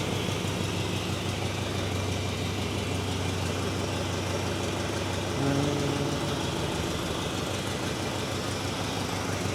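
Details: Chevrolet C10 squarebody truck, first start after 21 years in storage, started easily and is still to get fresh oil. Steady, even idle with a smooth low burble and no knocks, ticks or misses. The engine sounds solid.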